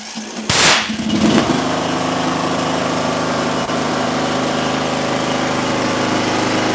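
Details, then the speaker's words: Small mower engine restarted with coil air gap at 0.054 in after flooding from failed starts at 0.055, inline spark tester fitted: one sharp bang as it catches, then steady even idle; backfire from the flooded engine clearing. "Oh, how'd you like that little backfire? That's because it was so flooded from us trying to start it at 55."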